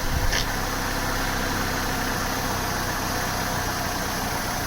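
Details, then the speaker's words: Opel Vectra B CDX 2.2 16V petrol idling with the air con on during a regas; the system was undercharged at 560 g instead of 900 g: smooth, steady idle with an even low hum and no knocks; the engine sounds healthy. "Right, we'll do that now then. It was working fine before. Sounds well."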